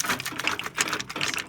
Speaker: You can hear that rattling. There's definitely something in there.